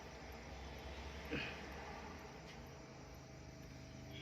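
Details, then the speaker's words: New 65-0-65 V 600 W SMPS power supply on power with low output voltage and slowly glowing LED: faint sharp ticking about twice a second over low hum, supply hiccuping. "अब देखिए इसको power पर लगाया यह देखो light कितना धीरे धीरे धीरे धीरे धीरे धीरे ग्लो हो रहा है ना य और और टिक टिक टिक टिक करके ऐसे साउंड आ रहा है"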